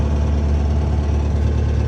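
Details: Takeuchi TL8 skid steer diesel at about 2,000 hours, idling just after a cold start. A deep, steady, even low rumble with no misses, knocks or rattles, a normal idle.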